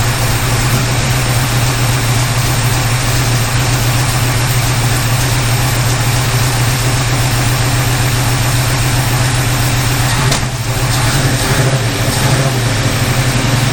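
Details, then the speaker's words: 1951 Henry J street rod V8 after swapping in another distributor cap and coil: loud steady lumpy idle, firm low beat, no popping or backfires; steady idle, backfiring mostly stopped, likely ignition problem. "Alright, that seems to have stopped most of the backfiring, so it probably is an ignition problem."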